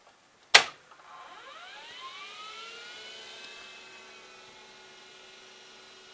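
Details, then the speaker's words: IBM PS/2 Model 8530-021 after 25 years of continuous use as a plasma-etcher controller, first power-up as it posts; sharp click then smooth rising whine as platters reach speed; hard drive spins up healthy. "it's posting. Listen to that hard drive. It actually sounds good."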